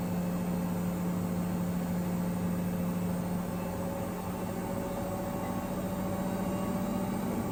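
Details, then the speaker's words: Ipso ILC98 washer on a Whites 60°C SuperWash Plus cycle with a small load of three towels, after long balancing attempts; a steady low hum with a rough, gritty rumble as the motor runs. Motor bearings suspected. "You hear the motor bearings."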